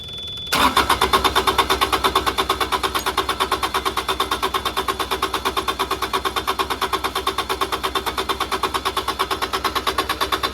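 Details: Carrier Supra 850 reefer with Kubota D722 diesel, gummed-up pump, low-pressure pump confirmed delivering fuel: steady starter cranking about three turns per second with even compression pulses, never catching; cranks but won't fire.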